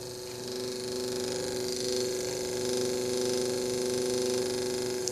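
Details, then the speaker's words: Original defective motor from an early Mercedes 500SL R129 door-lock pump, bench run: thin weak whirring hum, then a click as it stalls under light hand pressure and needs help to restart; armature or brushes faulty, motor replaced. "I have to help it to start spinning again that is obviously not right so I can turn it in and out and start spinning again so there's a problem definitely a problem with the armature or brushes or whatever the case is"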